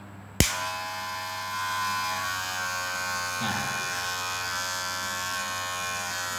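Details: Wahl cordless hair clipper, after adjusting the bent blade-pressing metal plate and retightening the metal screws to cut noise: a click, then a steady, even high buzz with no rattle or knocking; quieter than before, running smoothly.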